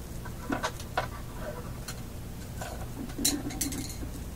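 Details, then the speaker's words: OTL amplifier with 6C33 tubes, heard through a speaker near the camera during startup with the bias adjusted: irregular crackles and sharp pops over a low hum, caused by poor pin contact on a tube. "not very nice okay things are getting hot so i've i gotta put on my love here that's making that sound so bad pin contact on this tube is making that sound"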